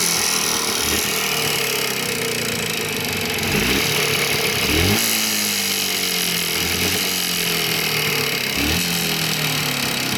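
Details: Jawa 350 two-stroke single running with a sharp tapping knock riding over the engine note; the cause of the knock is unknown.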